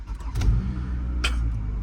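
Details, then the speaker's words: Toyota FRS at auction, about 164,000 miles, likely one or two owners: catches quickly with a brief crank flare, settles into smooth steady low idle, no knocks or ticks; started right up quietly, though airbag and check engine lights stay on. "completely fine quiet started right up"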